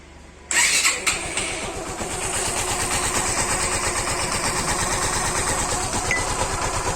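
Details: Suzuki Gixxer BS6 fuel-injected motorcycle after valve tappet adjustment for engine noise: catches after a short crank and settles into a steady, even idle with no top-end tapping; normal idle.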